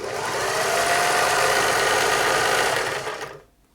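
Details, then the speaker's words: Singer 631G/611G (Glorious) German-made sewing machine after foot-controller repair, stitching a wide diamond/satin pattern: quick even chatter about three stitches a second, runs smoothly then winds down and stops; healthy, nice stitch formation. "Yeah, it does quite a nice job. Nice satin stitch."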